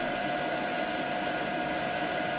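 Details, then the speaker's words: EcoFlow River 2 Pro LiFePO4 power station under 800 W max load test at 120 V output, fans kicking to highest speed after about 11 minutes, 59 dB at 3 feet; steady loud whoosh, constant high fan tone; fans at full speed under load. "once the test had been going for 11 minutes or so the power station fans kicked up to their highest speed when testing the loudness of the fans I was getting 59 decibels at 3 feet away and here's a demo of what the fans sounded like"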